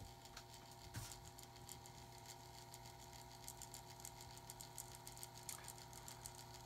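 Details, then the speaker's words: Older pellet stove auger gear motor with curved magnets, run on a cutting board to amplify the sound. Steady hum with a light irregular rattle and ticks; rattly, worn, dirty and dusty bearing. "as you can hear it uh doesn't sound too bad but it is kind of rattly kind of worn dirty Dusty"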